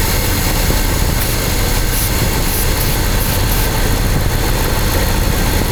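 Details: Engine recently given a new head gasket, valve cover gasket, timing chain kit and radiator after overheating. Spraying near cylinder five changes the lumpy, rough idle tempo, revealing an air leak; it needs an intake manifold gasket.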